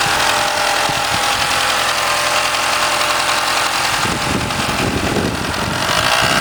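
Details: Mitsubishi 4G63 at 1300 rpm fast idle, alternator and power steering removed: dry, busy whirring rattle over the running note, worst 2000-3000 rpm; owner suspected silent shaft, actually a bad timing belt tensioner.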